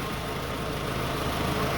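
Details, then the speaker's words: 2002-2006 Toyota Camry that shook at idle with AC on, during alternator testing; with AC, lights and load on, low even idle hum with no hunting, shaking or knock, idling smoothly. "And notice the car is not shaking anymore. I don't hear any sounds whatsoever from it."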